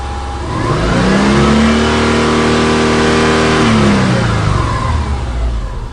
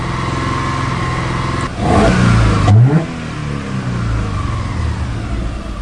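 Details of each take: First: 2003 Subaru Forester with P0032/P0037 oxygen sensor heater codes, now cleared: a clean rev rises smoothly and falls back, pulling evenly with no hunting or misfire; normal, healthy revving while fuel trims are watched. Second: Subaru Forester with codes P0032/P0037: the idle hunts, surging up and down unevenly, with fuel trims swinging from 35 to -17 percent. Front oxygen sensor heater draws zero current; the front O2 sensor is suspected faulty, rear sensor fine.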